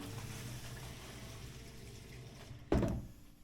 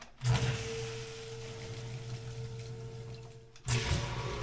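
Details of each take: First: Sump pump run manually: steady pump hum and water flow, then one sharp heavy clunk at shutoff as its internal check valve slams shut (water hammer); fixed by installing a silent check valve. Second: Sump pump with a radon mitigation system, after installing a PumpSpy silent check valve: hum and water rushing through the pipe, then shut-off with no clunk; the internal check valve had previously slammed shut at each cycle.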